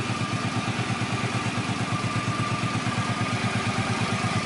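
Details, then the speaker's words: Suzuki Boulevard C50 800cc V-twin after cam chain rebuild: even, steady idle with a clean beat of about three pulses a second and no top-end rattle; the rear-cylinder cam chain slap heard before the repair is gone. "the real noise was coming from the back cylinder here mainly at the top so that's where the cam chain was slapping around we don't have that noise there anymore"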